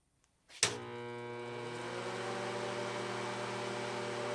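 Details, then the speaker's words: 1982 Montgomery Wards Powr Kraft 230 A stick welder (Century), just switched on after repair, idling: steady, even electrical hum with a buzzy edge; normal, healthy transformer hum. "Sounds like a welder."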